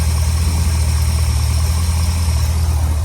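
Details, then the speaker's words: Ford Thunderbird running 40-weight oil, just started on a 70°F spring morning with the choke fully off. Deep, even idle rumble with no stumbles or hunting; it idles clean. "Yeah, I just started this car, and literally I took the choke off completely, and it's idling like perfect."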